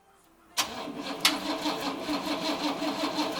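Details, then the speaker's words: 1956 Cadillac Sedan DeVille 365 engine on its first start after restoration: catches with a bang, then stumbles through a lumpy, uneven beat with no steady rhythm; rough running. "it did something did something all right um that sounds awful"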